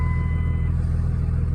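Steady deep diesel rumble idling evenly, no stumble or miss over the short stretch; engine running healthy after the fix.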